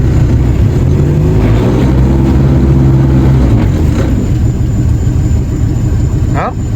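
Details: Outboard on a secondhand Gheenoe that stalled earlier with the fuel vent shut, running after the vent was opened: steady, even low drone with no misses or surging; normal running.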